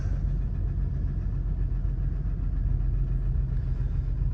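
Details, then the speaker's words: 2007 Nissan Xterra with a check engine light (P0300), plugs and all six coils already replaced elsewhere, possibly low on fuel; its V6 idles with a low, uneven, stumbling misfire and a rattle underneath. "It's a misfiring."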